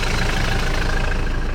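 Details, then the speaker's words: '94 Mitsubishi Delica L400 4M40 diesel with automatic transmission, high mileage, cold start: even diesel clatter at cold idle, steady rhythm with no skips while warming up; no misfire, no smoke, burning clean. "and the engine is idling and inside the good cold idols diesel is warming up no misfiring yeah"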